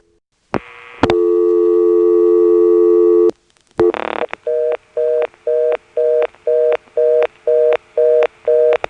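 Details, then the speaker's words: 1977 step-by-step exchange with ESS tones in Washington, NC: dialing a blocked level steps to the 11th terminal. Stepping clicks, then a fast two-tone on-off beep about twice a second. Reorder tone; the call can't be completed. "you dial the digit and you hear the steps which go over to the 11th terminal reorder"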